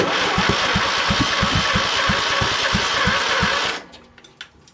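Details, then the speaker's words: Craftsman LT2000 lawn tractor with a swapped-in Kohler Courage engine, jumper pack on a slow battery, breather hose missing: starter spins with compression thumps about three per second, never fires; cranks without starting. "Maybe it's not getting fuel. Crank it down. Maybe it's not getting spark."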